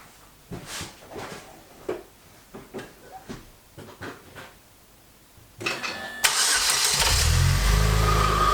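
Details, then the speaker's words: Saab 9-5 NG A20NFT turbo, first test start after K04 turbo rebuild with billet compressor wheel: light clicks, engine catches, loud steady air rush over idle as secondary air injection pumps air to heat up quickly; normal. "this car has what's called secondary air injection so at startup it should heat up the engine really quick so it pushes a lot of air in the startup sequence then it calms down"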